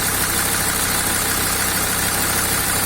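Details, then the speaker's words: SsangYong Rexton 2.7 diesel, nearly 214,000 km, heard under the hood after hydraulic lifter replacement: a steady, even, soft idle clatter with no stray top-end tapping; runs much quieter than before. "вот сейчас догоню гараж послушаем под капотом как машина работает мягко"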